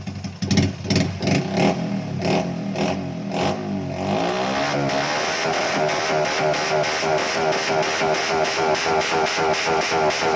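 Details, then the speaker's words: Engine on dyno after fixing ignition (longer spark plug fitted) for stumbling, surging; quick revs drop back cleanly, then steady even run; stumble gone, normal throttle response. "ครับเป็นไงครับหายเลยนะครับผม"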